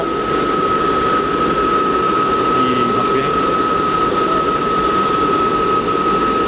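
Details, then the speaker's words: Riello RS38 forced-air gas burner running at first stage, minimum rate, during power setup: steady even roar with a constant mid-pitched tone, no pulsing, rumble or hunting. Normal burner operation. "bien et ouverture deélectrovale qu' ont défaut c'est normal il y a pas de problème là je vol est démarrer je suis en Première allure alure mini"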